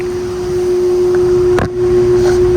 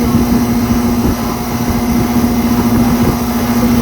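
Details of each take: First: York Stellar condenser, R22, about 1998, GE fan motor, apparently reciprocating compressor: compressor not running, fan blades turning very slowly with a strong steady single-pitch hum; the fan motor is thought to need replacing. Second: 2024 Ameristar air conditioner with a brand new Trane rotary compressor replacing one that was probably dying: steady, even low hum, constant pitch, no knocking or squeal; unit rattles but noise persists when held; running smoothly.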